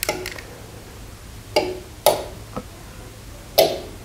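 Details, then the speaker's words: Craftsman garage door opener: a few sharp, uneven clicks on pressing the button, but no motor hum follows, then the LED flashes; the cause was a broken solder joint on the circuit board, fixed by resoldering. "so now i'll plug it back in you can see it's no longer flashing but now again if i try this you'll hear the same series of clicks and then we'll get the air the led flash okay ready three two one push"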